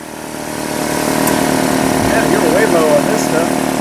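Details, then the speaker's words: 2005 Nissan Altima 2.5L four-cylinder just started after valve cover replacement, new plugs and coils, done to fix misfires from oil leaking into the spark plug tubes: settles into a steady even idle with no misfire stumble or ticking; repair confirmed. "that's looking good sounds good is that di sir nice thank you sir yeah looking good not too"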